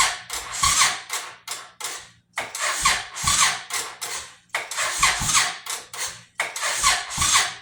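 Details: 2005 Suzuki Boulevard S83, sat about four years, choke on, weak battery and bad connection, leaking fuel line: about five short cranking bursts in eight seconds without catching; hard starting.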